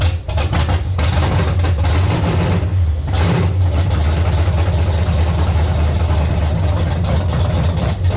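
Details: 1970 Chevy C10, small block 305 V8, after intake and carburetor change: lumpy, uneven idle that stumbles and surges and won't settle; misfire from the distributor cap center button having broken and fallen out.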